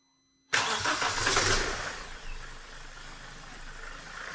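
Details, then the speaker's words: BMW E46 3 Series with N42/N46 engine, valve cover on, air duct removed: engine starts and revs, then light metallic rattle and clicking over idle; reduced power, higher fuel use, VANOS camshaft codes; jumped timing chain with broken chain rail guide, weak tensioner suspected. "so uh as you could hopefully hear there is definitely some weird noises coming from the engine it does sound like there's an issue with the chain or maybe the vanos control units i'm not sure until i scan the car and take off the valve cover"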